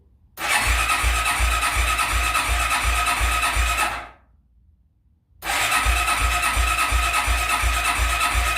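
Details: Suzuki ATV barn find, started on fresh fuel and a newly connected battery with full choke; catches quickly, settles into a steady, even idle thump, stops briefly, then picks right back up, running fine.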